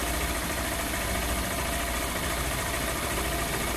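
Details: Honda CG160 Cargo after repair of a tec-tec-tec engine noise: steady single-cylinder idle with even exhaust beat and no top-end ticking; normal healthy idle.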